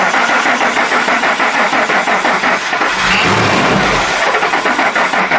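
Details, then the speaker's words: 2003 Ford Expedition 4.6L V8, crank no-start: steady cranking about three turns a second, then brief catch and roar before dying when starting fluid added, suggesting fuel starvation. "By introducing this alternative fuel source, we were able to get this vehicle to start. And there was a change. Remember, we didn't have that the first time. So I think that suggests that we're missing fuel."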